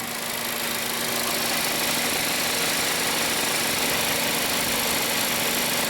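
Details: 2015 VW Passat after repair of AC overpressure that had vented freon through the relief valve. Smooth idle with the compressor on under a loud, steady rush of cooling fans in a roughly 70°F shop. Nothing irregular: normal AC operation.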